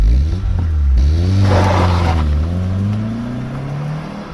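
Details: Vauxhall Cavalier GL, 45,000 miles, 1.8 litre engine with SRi 130 top end and GTE gearbox, road test after misfire solved with injectors refitted: smooth, even engine note rising steadily through the gears, no stumble or miss; normal acceleration.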